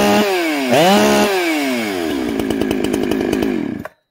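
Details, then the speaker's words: Chainsaw during carburettor tuning after the high jet was turned in about half a turn: revs climb to a high scream, then a rough stuttering snarl at top rpm, four-stroking when off load. "you guys hear it four stroke on top listen at the top rpm you can hear it you can hear it snarl that's a four stroke"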